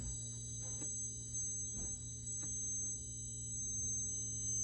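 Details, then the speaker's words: 4600 monitor, about two minutes after power-on, sound from the rear near the flyback: steady high-pitched whine and ringing with soft clicks; source not confirmed. "Okay, it's just whining right now. There it goes again."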